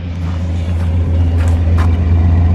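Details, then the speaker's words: 1969 Plymouth Fury III parked for most of 25 years, on old stabilized gas and needing a carb kit; possibly a 400, not a big block. Deep, smooth, even V8 idle with no ticks or knocks. "It's got some delamination up there, but motor's not making any crazy noises."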